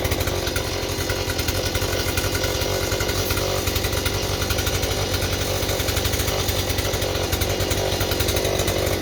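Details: Stihl 028 chainsaw with blowback, after new crankshaft seals and a carburetor rebuild: screams at a constant high pitch, never dropping to idle, running away; suspected air leak at high rpm behind the carburetor or intake boot, or the carburetor.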